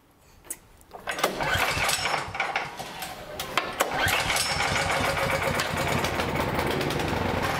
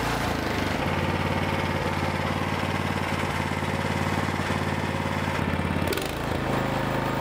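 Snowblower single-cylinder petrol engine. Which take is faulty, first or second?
first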